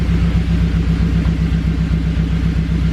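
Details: Honda Civic EK hatch with turbocharged K20, 11.5 compression, old gas, 99°F and too much boost: deep rumbling uneven idle with about four stumbles a second, like a cylinder missing; engine damaged, cause suspected, not confirmed.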